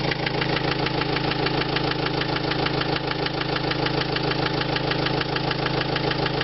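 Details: 2005 Renault Trafic 1.9 dCi diesel at idle: sharp, regular knock about three times a second over the diesel clatter; engine knock, cause unknown.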